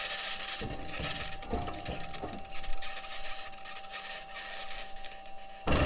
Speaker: Also present in the recording is a high-pitched scratching noise which the team has yet to explain.